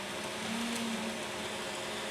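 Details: 2x72 belt grinder, 2-inch version, sped up slightly after tracking was set with the secondary tracking adjustment. Even, smooth belt hiss with no flapping, slapping or rubbing; the belt is tracking well.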